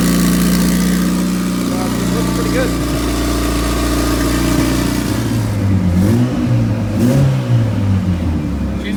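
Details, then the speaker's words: Turbo Honda CRX, first start after new cylinder sleeves, warming up with rings seating, temperature about a third, oil pressure perfect: steady, even drone at raised idle, slight pitch waver, no knocks or ticks; healthy high idle, idle screw to be lowered later. "sounds healthy come play with the idle screw a little bit and bring the idle down later but it's starting to get up to temperature"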